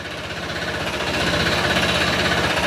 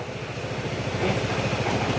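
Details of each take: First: Honda PCX160 scooter engine at 126,434 km idling then revved, hard rapid metallic knock about four per second that follows acceleration; not the CVT pulley, diagnosed as connecting rod knock before engine overhaul. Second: Honda PCX160 scooter after engine overhaul with crankshaft replaced, sensors reset, just restarted: quick, regular low steady putter, even beats, no knocking; earlier rattling gone, only slight slider noise; normal sound for the model, still breaking in, kept to 660 for now.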